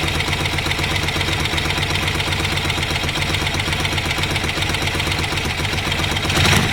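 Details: Ducati desmo twin (Monster) after home timing/cam belt change with belt covers off: busy even V-twin patter with open belt whir, spins freely with no knocks, healthy engine.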